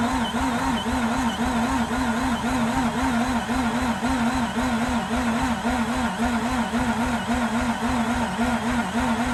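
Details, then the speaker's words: Mazda RX8 with a fuel leak at the feed pipe connector by the tank: steady starter cranking with a wavering whir about twice a second that never catches, as fuel leaks out. Crank no-start from the fuel leak. "wow man i wasn't actually able to see uh while i was cranking because i just cannot twist my arm out that way but i could see it's leaking mad so i believe everything that i'm cranking is just basically just going to waste because of the fuel pump"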